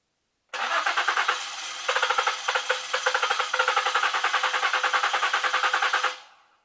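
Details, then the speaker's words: Ford Flex cranking steadily at about three pulses a second for five seconds, almost trying but never catching; likely no fuel delivery from a failed fuel pump driver module (fuel pump relay); crank no start. "When you hear a vehicle crank like that and it almost tries to start but it doesn't start and it sounds like it wants to start but it's not starting, a lot of times that's fuel related"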